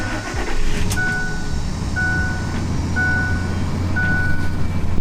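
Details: Ford F-150 that starts then dies, with the fuel pump control module bypassed by jumpering the pump wires: steady, even low engine hum with a chime about once a second; it starts and holds a smooth idle, pointing to a suspected failed fuel pump control module.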